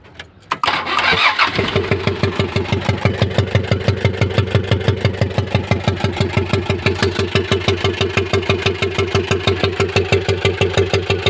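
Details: Mitsubishi L300 that suddenly began running rough: starts and idles rough with loud regular valve-train clatter and uneven puffing from one cylinder, noise coming out the intake hose; valve cover removal found a crushed rocker arm roller causing misfire.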